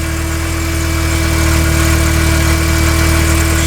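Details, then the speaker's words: '94 OBS truck with LS V8 swap, just fitted with taller replacement parts using adapters, air pump running: steady low idle with a faint uneven stumble, likely a misfire; after the air pump shut off it idled down with no misses heard. "Still looks like it's got a miss."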